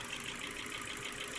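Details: Ford Focus 2 with 1.6 L 100 hp engine, piston group replaced last summer without boring: light, quick ticking over a steady idle, mostly from the top end. Owner wonders whether it is valves or cylinder wear. Engine ticking.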